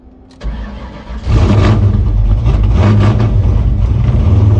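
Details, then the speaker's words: 1995/96 Ford Mustang Cobra 302 automatic, swapped engine with very radical cam, first start after retarding timing slightly; cranks, fires to loud lumpy surging idle, struggling to stay running; O2 sensors eliminated, wiring harness issues, cause unconfirmed. "There she goes. Oh, this thing's going to be hard to keep it running. It's supposed to have a very radical cam in it."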